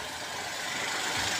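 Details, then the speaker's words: Geely Coolray 1.5L after replacing drive belt tensioner with failed bearing and engine support work: quiet even idle with smooth steady hiss, no strong vibration, knocking or rattle; running normally after repair. "So ayun guys tingnan natin kung wala na bang vibration na malakas. Ayan so okay naman guys nating andar at wala naman kayo vibration so nawala na"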